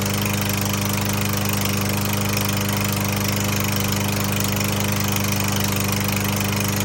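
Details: Troy-Bilt TB110 21-inch mower after a new carburetor and spark plug: it runs steadily, but a hard, regular clack beats through at three to four per second despite plenty of oil. Piston slap is suspected; unconfirmed.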